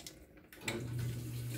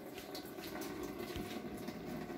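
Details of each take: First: Washing machine after its scaled solenoid inlet valve was disassembled, washed and reassembled: a steady rush of water into the tub over a soft low hum as it fills normally, and the valve now closes properly. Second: Washing machine with a single water inlet, switched off and unplugged but with the tap open: water rushes steadily with no cutoff as it keeps filling; scale in the inlet solenoid valve jams it open.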